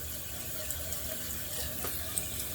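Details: Glacier Bay dual flush toilet with a new Fluidmaster 400AH fill valve, refilling after level adjustment with the refill tube clipped, expected to stop at about 1/2 inch: a steady, even hiss with no sputter or hammering. Normal refill.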